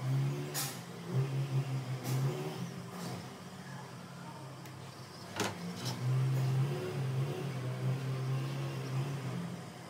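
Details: Mercedes-Benz C200 petrol engine idling with a steady low hum, no stumble, a few sharp knocks nearby; car had misfires when cold after sitting overnight, gone when warm, plugs and coils already replaced, ECU suspected faulty.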